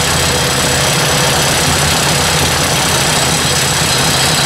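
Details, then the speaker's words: Ford 800 tractor idling with the valve cover back on: rough idle with a fast, light metallic tick, loudest at the rear of the valve cover. "definitely something back in here is a lot louder it's testing and it's pretty quiet up here until we get to the back here cover's making noise but definitely something ticking"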